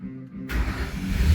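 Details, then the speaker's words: 2012 Ford Thunderbird no-start fixed by replacing a bad relay: after the new relay is fitted, brief crank then the engine catches cleanly and settles into a steady, even rumble with no stumbling; normal start. "There it is. Car runs now."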